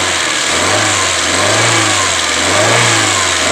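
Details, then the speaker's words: Chevrolet Spark 1000cc with engine dropping and stalling when the AC is on, after an ECU workaround for the mis-jumpered AC wiring: revs rise and fall smoothly with a clean note; normal throttle response. "Nah tunggu rpm-nya normal dulu yuk nah kalau gas-gasannya udah enak"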